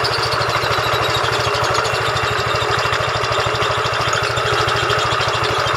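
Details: Yamaha Fino 125cc fuel-injected scooter idling before repair: fast, harsh mechanical chatter over the idle, rough and uneven with a dry metallic edge. Engine sounds very rough yet runs without power loss.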